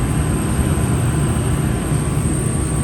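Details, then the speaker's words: Furnace with new replacement draft induction blower (part 119256-00 / ICP 1014341 JA) after old motor seized and turned slowly; running with main blower on, low even rumble and faint hiss, very quiet, normal furnace operation. "relatively very quiet operation now this is great see how the motor is spinning right in there super silent"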